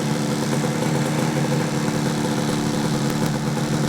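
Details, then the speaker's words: 1968 Yamaha YAS1C 125 two-stroke twin, after carb work and points/timing set on both sides, not yet up to temperature: steady, even idle with smooth unbroken beat, no misses or knocks; sounds good, idling normally. "Okay, let's get our fuel back on. I guess it was. And key back on. Oh, that sounds good. Picking it up now."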